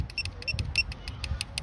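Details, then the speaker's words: KM50 circuit tester probe tapped fast, about eleven taps in two seconds, only four short high beeps answer; delay because it pulses periodically to read, missing fast or brief contacts. "there's a delay in the sound because it's pulsing every so often to actually read that"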